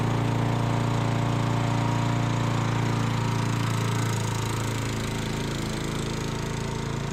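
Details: Sears Eager One lawnmower, Tecumseh single-cylinder, after makeshift connecting-rod knock repair with beer-can metal, throttle halfway: runs steady then eases down slightly, even exhaust beat with no rod knock left; normal running.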